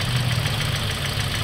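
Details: Toyota Vios Dual VVT-i fueled with diesel (white smoke, fuel drained, new spark plugs and filter, vibration worse since): an uneven, lumpy low idle with a shaky beat. The rough idle comes from leaking injectors and low compression, weak on cylinder 3.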